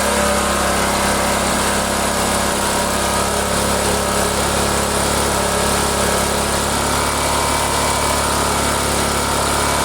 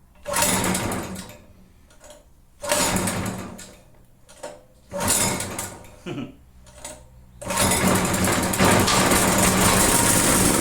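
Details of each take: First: Small single-cylinder generator, stored unused about a year, that only runs with the choke on, running at steady speed with an even low drone and some rattle until it runs out of fuel. Carburetor needs cleaning. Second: Generator stored unused for about a year, restarted after rework: runs in short bursts every couple of seconds, dies away, then catches again; owner suspects the spark is being killed, oil level uncertain, cause unclear.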